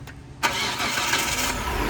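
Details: 2005 Hyundai Santa Fe 3.5 that had crank no-start with no spark, after replacing the sensor: brief crank catches quickly into a steady, even idle with no misfire; starts normally.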